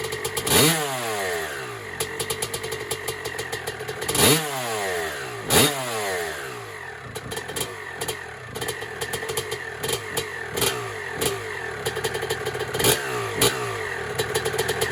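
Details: 1996 Honda CR250 two-stroke, first start on a build, 93-octane pump gas, choke off: sharp responsive throttle blips, crackly and loud through a cracked exhaust pipe; healthy running.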